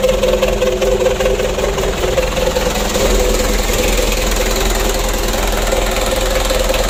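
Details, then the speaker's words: Freshly rebuilt 4D34 120 PS diesel (Ragasa) warming up after restart: deep, loud, even idle with no knocking; the big sound is from the exhaust tailpipe tip, engine healthy, to be run in 4–7 days. "Kita panasi dulu. Itu suaranya besar karena ujung knalpotnya itu ya."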